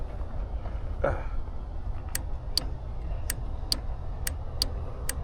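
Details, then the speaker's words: Sharp relay clicks, about seven in three seconds, with the key on and no crank despite a new starter; battery power present. Unsure whether these are start relays or ECM power relays. Large fuse has its cap missing but is not blown; rodent chewing was found. "You hear it? Relays were clicking over. Now, I don't know if those were the start relays or just uh some of the ECM power relays in here,"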